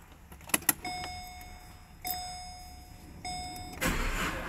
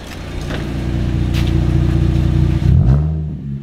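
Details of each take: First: Holden Commodore with a dying battery, very cold start: a few chimes, then about three seconds of cranking at roughly three beats a second before it fires and revs; slow hard cold start, weak battery suspected. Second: Holden Commodore, revved: deep burbling climbs steadily in pitch, then crackles and drops back; a healthy six with a loud exhaust.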